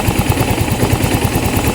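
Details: Yamaha Mio i 125 (M3) that misfires, smokes heavily (attributed to fuel pump pressure), has an unresponsive O2 sensor, and a TPS reading 74 after adjustment to 66: uneven popping idle with irregular sharp cracks. Misfire, cause not confirmed.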